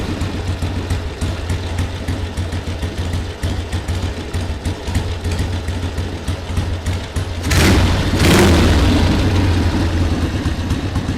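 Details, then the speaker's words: 1979 Harley-Davidson Ironhead Sportster XL1000, first start after 25+ years unused: steady, loping V-twin idle with an even low thump, no misses, short blip around eight seconds; engine running healthy, normal idle. "yeah it's idly great I mean that's awesome 20 at least 25 years this bike has not been running on the road at all and we now have it running idling and it's just awesome"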